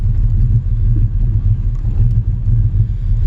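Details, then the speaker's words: 1989 Chevy Cavalier Z24 with swapped 3400 SFI V6 and 5-speed, after idle air control valve replacement and throttle body cleaning, during idle relearn: low, even rumble at steady idle with no hunting, surging or misses; idle stable. "Um but yeah, she actually will idle and I think I'm okay to stop at a stop light"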